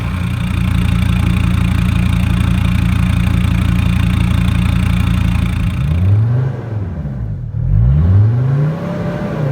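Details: Mercedes Sprinter diesel van, 421 thousand, muffler cut off to cure turbo over-boost condition; loud deep even idle with open-pipe rasp, smooth blip up and back down; healthy idle through straight pipe.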